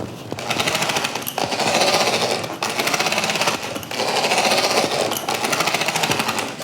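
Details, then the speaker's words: MJX Hyper Go 10208 RC truck, new out of the box, driveline began sounding weird after a few minutes of indoor driving: harsh rapid metallic clatter in bursts with each throttle push as the motor pinion slips on its shaft and grinds. "I was driving this within the house, and after a few minutes, the drive line started to sound a bit weird."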